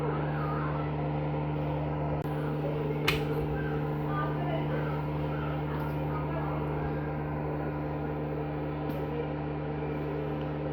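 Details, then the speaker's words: 40W K40 laser cutter that had stopped firing, running again after the fault was traced to the power unit rather than the tube: steady even hum with low mains-type drone and fan rush, no crackle or arcing; normal. "ඔන්න මගේ ලේස් කටින් එක machine එකක් දැන් වැඩ කරන්න පටන් ගත්තා. ඇත්තටම ප්‍රශ්නේ තිබිලා තියෙන්නේ මේ පවර් යුනිට් එකේ."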